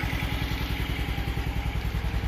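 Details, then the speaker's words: Restored cabriolet with radial tires, 121 PSI compression, gas valve turned on, first start after work: steady even idle with regular low exhaust pulse, no misses or knocks, checked for blow-by and feels normal; normal idle. "Okay, we got it running, idling. Want to make sure there's not a bunch of blow by. Feels normal."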